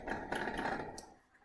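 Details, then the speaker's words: Bicycle bounced on the front end: quick metallic clatter from loose headset bearings. Rocking the bike back and forth with the front brake on confirms the looseness. "bike, when you bounce it, rattles. So you can clearly tell there's something wrong with this bike."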